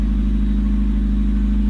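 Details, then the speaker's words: Car started for first time after long standing, on a reconditioned dead battery (rinsed with hot water, refilled with battery acid): steady even idle hum with no misses, knocks or rattles; runs smoothly. "Ini hari pertama ya. Setelah sekian lama nggak nyala nih mobil, coba nyalain, nyala."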